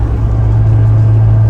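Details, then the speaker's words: C5 Corvette while driving: loud steady low drone with deep hum like a disconnected exhaust, no high-pitched content; owner suspects differential, later thinks driveshaft; cause unconfirmed. "like when somebody's exhaust is completely disconnected that type of noise"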